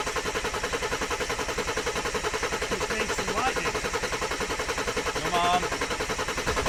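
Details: Mercedes OM606 diesel in a Land Rover build, first ever start after fitting the injection pump and turbo: steady starter churn at about 3.5 turns a second without catching; glow plugs not yet connected, suspected cause of slow starting.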